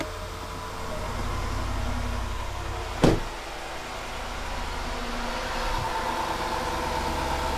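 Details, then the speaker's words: 2013 Range Rover Sport L320 5.0L V8, 160,000 miles, just after oil change with 5W-20 synthetic: fires with one sharp catch then settles to a smooth, even idle with low steady rumble, no leaks underneath; normal idle. "underneath everything sounds great so there's no gushing oil underneath sounds perfect up here sounds just like it did"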